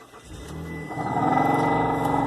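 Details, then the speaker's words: 2007 Mitsubishi Outlander HVAC blower turned on: the motor whirs up over about a second into a steady, raspy droning hum with a thin whistle on top; a failing blower motor, which was then replaced. "What the hell? That don't sound right. We need to fix that."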